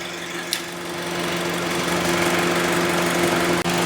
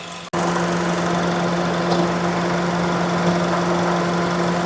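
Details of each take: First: 2011 Honda CR-V idling about 30–40 minutes: steady, even compressor hum with no cutting out or rattle; AC compressor running normally, owner suspected thermal switch cutting it out when hot. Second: 2011 Honda CR-V at idle with AC commanded on: a few faint AC clutch relay clicks but no compressor clutch engagement and no change in engine note; the relay is hot, about 85 °C.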